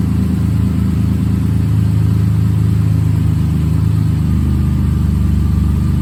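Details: Rebuilt bored-over 3.9L V6 in a Jeep JK, warming toward operating temperature: steady, even low rumble at idle with no knocks or ticks; smooth and healthy.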